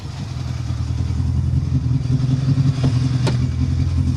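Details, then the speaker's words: Renault Clio rally car during a tarmac rally stage: low, lumpy rumble with an uneven, stumbling beat. Major low-down misfire present since before stage one, car limping through. "We've got we've got a major misfire since before start stage one. So limping through."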